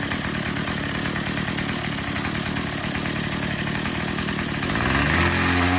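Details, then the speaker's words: Troy-Bilt TB22 EC two-stroke trimmer after a tune-up, at full throttle once the high-speed needle was set for maximum rpm, air filter not yet refitted. A strong, steady high-pitched scream holding revs cleanly without bogging; it's running great. "so it's running great"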